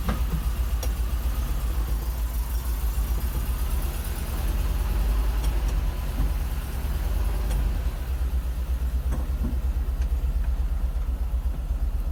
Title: VW Bus Piston Slap